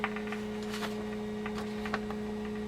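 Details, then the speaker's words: 1946 Packard car radio, signal tracing at the converter: only steady low hum with faint clicks, no programme; the converter tube turns out not to be seated in its socket, suspected cause of no signal. "two maybe that tube is bad is it warm oh it's not even in its socket good grief another one ready to fall out and roll around"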